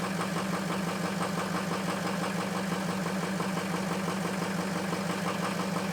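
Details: Ford F350 diesel cold start after a high-30s °F night, two bad injectors: cold idle with a steady low drone and uneven pulsing about three beats a second, suggesting cylinders not firing evenly.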